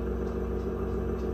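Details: Samsung refrigerator freezer with a loud, steady, single-pitch whirring that runs with the doors closed and stops when they are opened; the ice maker is removed and the fan is tested in place, and the evaporator fan motor is judged bad.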